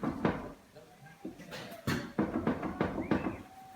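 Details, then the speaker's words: 2002 Jeep Grand Cherokee with wandering issue, front raised: repeated dull metallic clunks and visible play as driver-side wheel is rocked left-right, worn outer tie rod end. "Right away you can hear that clunk, and there's actually quite a bit of movement there."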